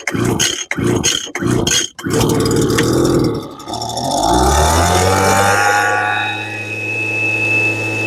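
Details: Lesco LHB 2500 handheld leaf blower, choke up: several rope pulls, fires and tries to climb but bogs and stalls instead of revving; lean at high speed; owner tends to run oil mix too rich.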